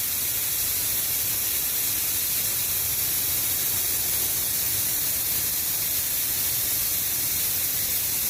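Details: Shark 1 HP twin-cylinder belt-driven air compressor (550 rpm, 83 L tank, 7 bar): the tank is still pressurized so the motor won't start, and air is bled off through the tank valve; steady hissing rush with nothing low underneath; normal release.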